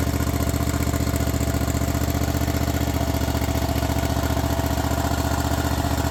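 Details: Craftsman Z6400 zero-turn mower after hydro drive belt replacement: firm, even engine beat of about four pulses a second holding steady at higher revs, no slipping or squealing; runs healthy.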